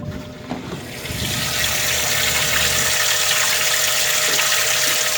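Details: Boat recirculation pump running: steady rush of moving water over constant mid-pitched motor hum; after earlier not pumping though heard moving, now circulating water normally.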